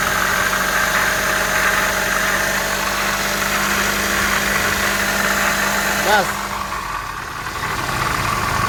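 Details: Toyota Vitz engine held at a light rev: a steady gritty rattle and whir over the running note. Checking with the belt removed found a failed water pump bearing that needs replacing; the compressor pulley also makes some noise.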